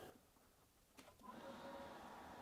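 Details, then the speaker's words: YesWelder MIG-250 Pro multiprocess welder on 220/240 V: rear cooling fan gives a steady, even whoosh with no rattle, running continuously whether welding or not and never shutting down; normal. "hear that fan running. It runs continuously, not just when the welder's welding, but also just all the time. It's always going to run. It never shuts down."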